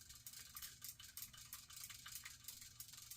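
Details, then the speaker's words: Vintage Penn 350 Leveline reel after repair of a locked-up level-wind, handle turned: light, quick metallic ticking rolls along evenly with no catches or grinding; the level-wind cycles normally. "Okay. See how it's rotating around? That's all you can ask for."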